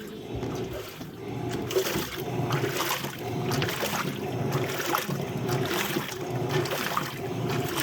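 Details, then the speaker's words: LG Turbo Drum top-load washer after replacing the damaged transmission: smooth agitation with rhythmic water sloshing, no knocking or grinding. "Ahí podemos ver que ya previamente está instalada, no se escucha ningún ruido."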